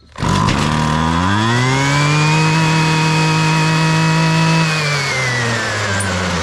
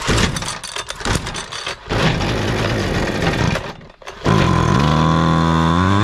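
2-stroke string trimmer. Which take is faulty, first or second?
second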